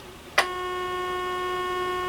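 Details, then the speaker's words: Sencore CB42 signal generator after replacing the LM324 op-amp, audio output wide open: a click, then a clean, steady tone that holds without wavering; the audio output section works. "okay so the audio output section is now working"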